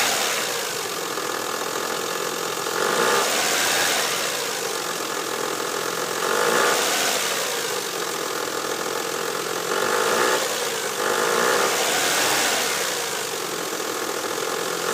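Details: 2000 Mazda 626 V6 (K engine), about 100k miles, idling and repeatedly revved: light rapid ticking knock that began recently on startup and was less pronounced once warm on a 70s-degree day; cause unknown, owner unsure.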